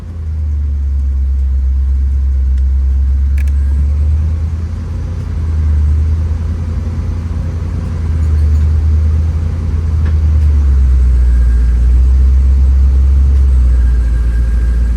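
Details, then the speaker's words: 1982 Camaro, original engine, just started, with vacuum leaks: idle rumble shifting every few seconds as the AC compressor clicks on and off, short cycling; owner suspects low R134a refrigerant. "I hear it kicking on and off out there. I hear it kicking on and off. I think it's low."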